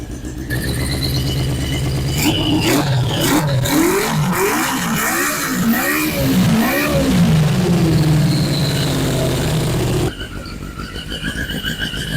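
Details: 1981 Yamaha Maxim XJ650 four-cylinder, first start after 20 years unused, old oil, carbs dusty but sound: revs up and down cleanly through several throttle blips and drops back smoothly; running healthy.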